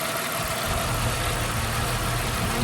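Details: 1991 Jeep Wrangler 4.0 high output engine, no-start after sputtering out, after new Hall effect crank position sensor installed: steady even hum with no misses, knocks or surging; normal idle.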